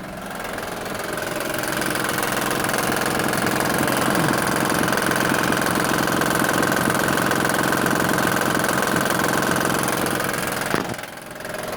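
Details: 2007 Honda Pilot with timing belt covers off, engine idling: steady idle with regular light tick about three per second from the front timing area; timing belt, water pump area suspected, not confirmed.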